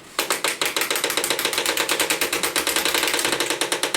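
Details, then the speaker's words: HP LaserJet 1022, bought new in 2005 with original cartridge, opened up with paper pulled through by hand: loud, rapid, even clatter of about eleven clicks a second, just the drive gears ratcheting; harmless, normal gear ratcheting. "As horrible as that sounds, it really isn't. It's just ratcheting. It's okay."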